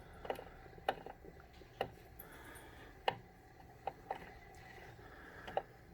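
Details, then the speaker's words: Concept 2 rowing machine: quiet, irregular sharp clicks, about seven in six seconds, in the drive on the pull; a hesitation as it goes in and out, smooth only when pulled hard, quieter upside down, cause unknown. "There's like a hesitation when it goes back in and comes out. It's not smooth unless you pull really hard."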